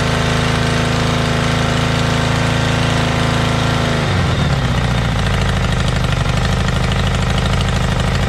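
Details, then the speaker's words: Motorbike started outdoors; when bought it ran poorly and its carbs were filthy: after a throttle blip, a deep even exhaust beat with no misfire. Normal running, owner confirms both cylinders are firing. "okay that's good at least I know both of them are running now"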